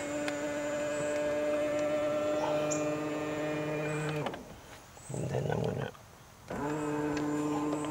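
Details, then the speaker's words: Tesla Model X middle-row power seat, which sometimes sticks and then springs with a loud noise at the end of its travel: here a steady motor whine runs, pauses briefly, and resumes with no pop; normal movement. "so I'm gonna move back over this way and show you what happens on this one now it's working fine"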